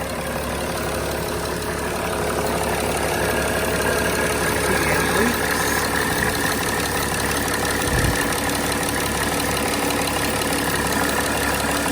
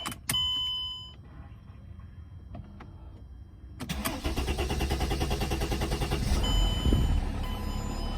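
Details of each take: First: 2006 Mercedes E320 CDI OM648 diesel after replacing the glow plug control module and fuel rail pressure sensor, codes cleared, slow restart from air in the system: even idle with light regular clatter, no misses, knocks or hunting. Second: 2006 Mercedes E320 CDI, OM648 diesel, just after replacing the fuel rail pressure sensor and glow plug control module; the starter churns several seconds before it catches and idles. Extended cranking caused by air in the fuel system.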